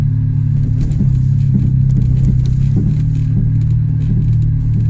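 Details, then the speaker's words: Toyota Yaris at idle, heard from underneath: loud deep rumble with uneven puffing chuffs, an exhaust leak where the rusted centre pipe has come away from the centre box. "so now that we've got the car up in the air we can clearly see that the center pipe has come away from the center box of the exhaust this is a very common problem on old cars of fees"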